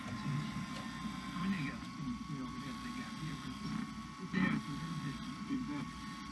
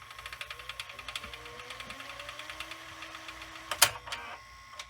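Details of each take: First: Sanyo VHR-H519 VCR, late 1990s or early 2000s, first tape inserted before cleaning: labouring motor hum with an uneven churning drag under a steady whine; transport straining, owner suspects too much back tension or parts needing to work in. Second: Sanyo VHR-H519 VCR, late 1990s or early 2000s, fast forwarding an EP tape: even whirr with quick regular ticking and a faint rising tone as the tape spools up; smooth, normal fast forward.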